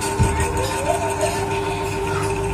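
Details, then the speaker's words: Polsen Regency 18-inch stainless tornado fan won't spin, only hums: steady mid-pitch electrical hum with no blade whoosh; shaft worn along with its bushing, fan dragging and seized; risks burning the motor winding; fix replaces bushing with 6000 bearing. "Nah suaranya kan kedengaran ya mungkin ini kalau kau lama-lama kalo dibiarin kotor Hai bisa kena gulungan dinamo nya Ya bisa terbakar ini ya Hal ini dikarenakan as-nya sudah pernah ya sama bosnya Ya udah aus"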